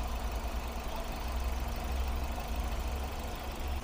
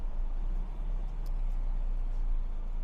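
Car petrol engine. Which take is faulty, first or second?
second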